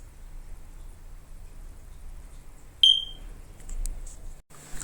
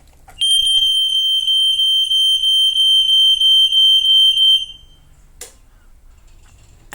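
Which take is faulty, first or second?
first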